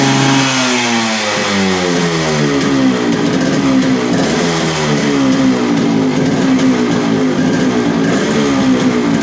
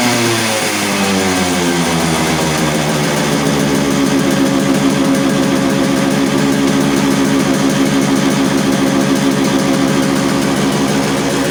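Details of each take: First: Yamaha RX100 two-stroke after clutch bell upgrade and carburetor re-adjustment; crisp buzz rises and falls cleanly with throttle, settling back without hanging: normal running. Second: Yamaha RX100 two-stroke, kick-started right after a clutch bell upgrade; crackles fast and stays at an elevated steady idle instead of dropping back, carburetor not yet re-adjusted: high idle speed.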